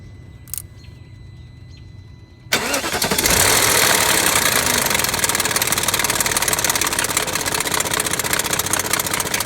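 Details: BMW 740i/740iL 4.4-liter V8 starting and idling with a dense metallic clatter over a steady hum: timing chain rattle.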